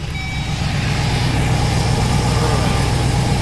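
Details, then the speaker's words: 2007 Chevrolet Express 3500 6.0L, after replacing flexplate, spacer, torque converter and missing dowel pin that caused a knock: engine runs low and even while backing up, no rhythmic knock under the rumble; normal idle. "look at that guys look at that no more engine knocking so i'll show you guys what it sounds like underneath"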